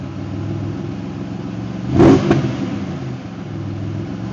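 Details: L67 engine after raising idle, adjusting the timing table and fixing exhaust leaks: steady even idle, then a quick clean blip of revs settling back smoothly; no ticking or puffing from the exhaust.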